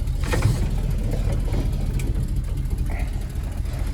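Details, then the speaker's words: 1965 Ford F250 with 352 FE V8, 4-speed, rough low idle just after starting with a faint rapid tick-tick-tick from an exhaust leak; it pops and dies when the throttle is tapped. "You can hear that exhaust leak. Tick, tick, tick,"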